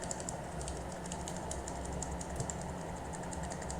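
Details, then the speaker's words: Mechanical keyboard switch still double-clicking after being sprayed with cleaner, less often than before; quick clicks, some single presses landing as doubled ticks; dirty contacts suspected, so the switch must be desoldered to clean. "Oh, masih tetap ya, masih tetap double klik nih. Double klik terus ya. Sering banget."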